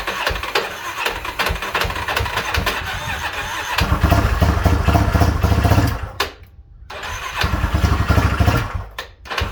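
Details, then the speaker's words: 2006 Yamaha Raptor 350 single-cylinder ATV after a top-end repair, cranked with the battery reconnected: the starter churns, then it fires with uneven thumping pulses that rise and settle. Cranking and first start. "Hey guys, so we got everything bolted back together, batteries hooked up, so we're gonna crank it, see if we get a start."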